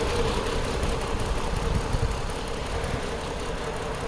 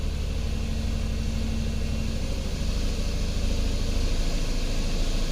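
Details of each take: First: 2010 Chrysler Sebring 2.7L convertible after flexplate and EGR repair: rough, uneven idle with lumpy stumbling beat; scan tool shows cylinder 2 dead, no injector pulse, traced to a broken coil connector, not the crank sensor. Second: 2010 Chrysler Sebring convertible 2.7L after repairs and a relearn: steady low idle with an even beat and no misses or knocks, feels way better than the earlier rough running.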